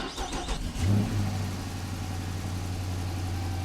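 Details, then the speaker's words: 2014 Dodge Charger Pursuit Hemi AWD after replacing the blown fuse: fuel pump heard priming, a few cranking bursts, then the V8 catches, swells briefly and settles into a smooth, steady run. "Let's see if we can hear the fuel pump. I heard a fuel pump. It's gonna start."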